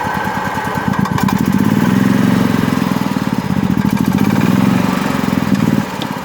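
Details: Golf cart small petrol engine that wouldn't start, after relay replacement and maintenance-switch adjustment, catches and runs with a quick, even putter that rises and settles, then cuts off.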